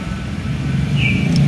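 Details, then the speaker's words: Daihatsu Gran Max/Luxio that overheated from air trapped in the cooling system, after bleeding the air via the radiator vent valve until hissing stopped: steady, even engine drone with no knocks, misses or hiss; running smoothly. "Selesai, bro. Berjalan lancar. Halus, Halus."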